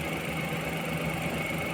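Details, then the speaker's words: Suzuki minivan with D63 engine, cylinder 2 misfire code with a check-engine light; plug and coil already replaced, injector tested OK: a steady idle hum with a faint uneven tapping beat; the misfire comes from cylinder 2 exhaust valve having no clearance, so it stays open. "So yung exhause ng bulve ng cylinder number two ay walang clearance. Kumbaga naka-open palagi yung valve. Kaya ang tendency doon ay mag-missfire talaga yun."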